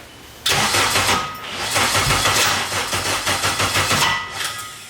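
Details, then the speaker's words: K24-swapped Nissan Cefiro first start attempt, lots of fuel: starter spins with ragged firing bursts that nearly catch then stumble and seem to lock up; won't start, owner suspects ignition timing is off, battery low. "See, that's what's weird. Timing's off or something for sure. Sounds like. Yeah, it's just weird how like it sounds like it locks up."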